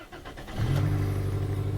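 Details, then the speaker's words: 2002 Toyota Corolla project car, heard from inside at start-up, 146 on the odometer, a light on: engine catches and settles into a fast, rumbly idle that stays high, with a raspy, puffing exhaust leak. "I definitely hear the exhaust leak cool 146 on the clock"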